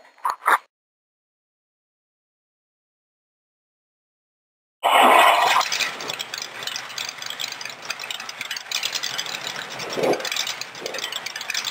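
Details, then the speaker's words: Rat rod roadster with short open headers, start after fitting header baffles: after a silent gap the engine fires into a loud, raw, crackling roar, barely muffled. "I'm also thinking today about remaking my header baffles because these things are so loud right now"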